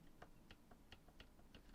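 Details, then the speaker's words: Sanyo M-G31A 1980s personal stereo radio cassette, during belt replacement service (was running slow and wobbly): faint uneven light clicks as the shaft is rocked end to end; excess shaft end play, screw adjusted then glued. "you can hear that's a bit too much yep happy with that and just a little bit of glue to stop that screw from coming undone"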